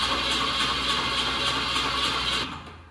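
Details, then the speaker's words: 1965 Ford Mustang coupe, engine swapped around 1989–90 (supposedly a 302), sitting 33 years with engine previously locked, first crank test, battery charge unknown: steady fast starter whir with even compression pulses, turns over freely; oil leaking, spark present. "That sounds great. >> Sweet. >> That sounds super great."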